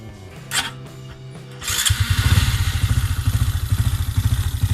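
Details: Honda Wave 125i with 56 mm piston, 3 mm stroke-up, API 8.9 standalone ECU, just tuned; single-cylinder settles into a choppy idle whose beat swells and sags, tuned to hunt on purpose.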